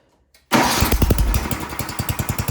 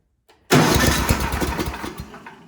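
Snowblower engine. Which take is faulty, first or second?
second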